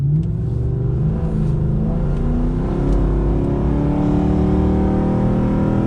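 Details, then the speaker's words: Pontiac G8 GT 6.0L V8 with new eBay stainless axle-back mufflers replacing Hooker Maxflows whose baffles broke, heard outside after a short drive: deep steady rumble with scattered popcorn crackles from the tailpipes, cause unknown; exhaust popping. "still has that popcorn sound to it that's really weird"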